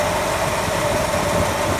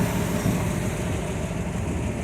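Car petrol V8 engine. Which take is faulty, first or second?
second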